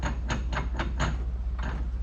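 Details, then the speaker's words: Yamaha Rhino driveshaft turned by hand during disassembly: short rasping grinding bursts, about four per second, when the shaft is pulled back; owner suspects loose splines not locking, possibly why two-wheel drive fails. "When I pull it backwards, I can turn the front shaft and it does that grinding sound."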